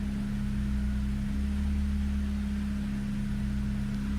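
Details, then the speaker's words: Megasquirt-tuned engine with custom headers and a fixed exhaust leak, warm idle with the AC on, idled up a little above 1,000 rpm: a steady low drone whose pitch dips and recovers every few seconds as the mixture goes lean. Minor idle hunting. "So this is what a hunt looks like. It's kind of getting a little lean, and then it goes back. And you can see the RPMs are kind of going around different places."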